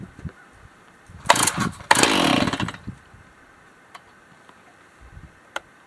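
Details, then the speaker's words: Stihl MS361 clone G366 60cc chainsaw cold start on full choke: two sharp pull-cord bursts with a brief sputter of firing that dies quickly. "Now we're going to put it on the full choke. Half choke. Down is full choke."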